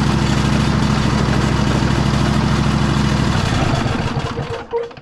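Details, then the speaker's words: A second riding mower that also ran low on oil: low, lumpy, uneven idle that stumbles and dies, engine rocking and blowing white smoke. Not thought to be a rod knock; rings suspected burnt, head gasket possibly long blown. "This one, you can see it's smoking pretty good. Engine's rocking back pretty pretty good back and forth. I don't think that's really a rod knock or anything like that, but looks like the rings are pretty well burnt."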